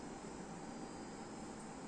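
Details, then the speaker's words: Used Sharp inverter air conditioner in forced jet mode, indoor fan motor at maximum: strong, steady rush of air with even fan whoosh, no rubbing or ticking; normal fan running at maximum airflow. "perhatikan anginnya senyumnya langsung gerak ke bawah Hai dan anginnya kenceng banget mungkin begini video kedengeran suaranya"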